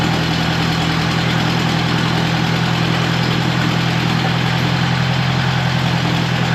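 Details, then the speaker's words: 1950s–60s "doodle bug", possibly a former golf-course or highway mower, refilled with about 2 gallons of coolant, water pump not turning, head around 180°F. Smooth, steady idle hum with no top-end ticking; oiled rocker arms quiet. Normal idle, quiet valvetrain. "We've got oil with all the rocker arms. They're running quiet. Yeah, this is not too bad."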